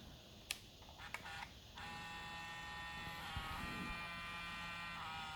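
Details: Zeiss Batis 18mm f2.8 lens on Sony a7R II and a6000: after a few clicks a steady, high-pitched electric buzz with vibration, suggesting a faulty lens motor.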